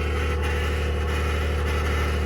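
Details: 2021 Ford F150 PowerBoost at cold start: steady idle drone with a coarse, churning low growl underneath, described as a cavitating/grinding noise.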